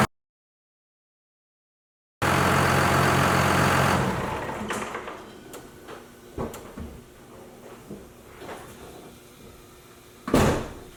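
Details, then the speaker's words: Cummins diesel pickup starting up, rumbling briefly then shutting down with no belt squeak at startup or shutdown, after a fix cured the squeak. "Awesome, no more squeaking noise. So as you guys saw, no more squeaking noise."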